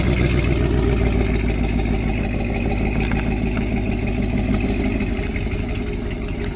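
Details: 2019 Camaro SS, 6.2L direct-injection LT1 V8, before repair: uneven, lumpy idle with an irregular stumble about three times a second over the low drone; misfire from an injector stuck open, oil overfull with fuel.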